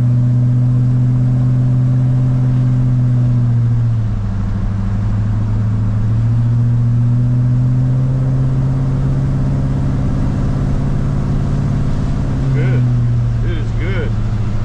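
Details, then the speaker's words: GMC Squarebody truck with LS V8, after swapping its junkyard LS ECM for a Holley Terminator X ECU, which cured a misfire, on road test: deep, even drone rising and falling smoothly with throttle, all eight cylinders firing; normal running. "oh yeah they're firing now oh yeah I got all eight again yay time for a test run yeah yeah everything's looking good let's see how she drives"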